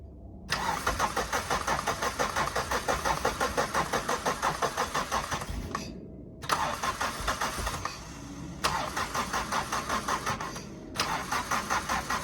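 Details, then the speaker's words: Suzuki Swift 1.6 AWD saloon, long unused: steady starter cranking in repeated bursts of several seconds, engine turning evenly but never catching; owner suspects no fuel from a fuel pump that seized before. "does that sound like a no fuel to us [Music] need to go check the fuel pump maybe that seized again"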